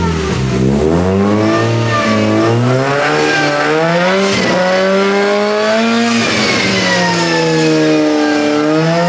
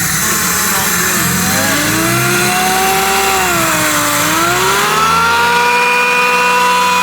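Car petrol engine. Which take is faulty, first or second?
first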